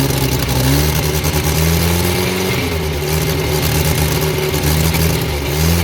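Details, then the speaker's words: Abandoned Morris Minor, last-ditch start after fixing a fuel leak and rigging a throttle pull wire; old petrol engine catches and runs steadily with throttle blips, note rising and settling evenly: normal running, runs well. "Right. Got it going. Runs well."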